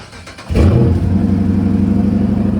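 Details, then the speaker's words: 2013 Dodge Charger before water pump replacement: engine catches and settles into an unusually loud, rough low drone with a steady hum; failing water pump, a sign to stop driving. "This is how you know that you need to stop driving your vehicle. If it sounds like one of these."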